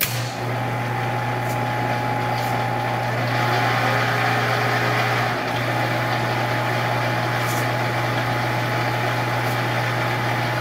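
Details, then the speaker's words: Monarch 10EE lathe during refurb, open belt, in threading gear: steady low hum with uneven rattle about four times a second, probably from the gearbox; cause unconfirmed. "all right guys one more time so i definitely hear a lot of rattling around in here"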